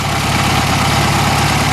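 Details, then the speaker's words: 1973 VW Beetle after new fuel lines, carb, plugs, wires, cap, rotor, valve adjustment and oil change: a steady flat-four idle with a faint slow wobble in the beat. It is running much better, but the cause of the wobble is unknown. "I'm not sure what go got a little wobble to it but it's running a lot better than it was"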